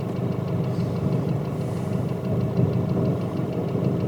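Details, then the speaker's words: Nissan Pathfinder/Navara YD25 diesel at idle, fitted with Chinese injectors, cylinder power balance tested via Consult; a harsh, slightly uneven metallic crackle about three ticks a second: injector needle knock. "Причём я отсюда прямо слышу в наушниках этот треск трес адовый конечно"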